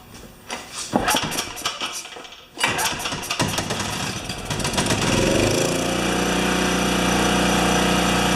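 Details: Makita G2400R generator after fitting a non-OEM replacement carburetor, started on choke; a few pulls and rattles, then it catches and settles into a steady, even drone at constant speed, same RPM as before; owner hopes the carb won't leak; normal running.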